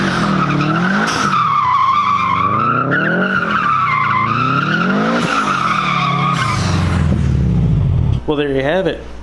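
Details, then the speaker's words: Subaru WRX STI converted to rear-wheel drive: revs rise then dip sharply again and again under tyre squeal, struggling back into boost while on throttle; traction control, still on despite yaw sensor disconnected, closes the throttle butterfly. "you can hear it in the video where the rpms pick up and then drop real quick and then it sounds like i'm struggling to get back into boost it's because i'm still on throttle but the car is just closing the butterfly valve"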